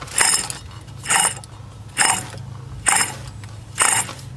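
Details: Ford Falcon, believed BA, customer-reported undriveable: with the dust cap off, the worn front hub bearing spun by hand gives rough, gritty grinding bursts about once a second. It was replaced on the spot.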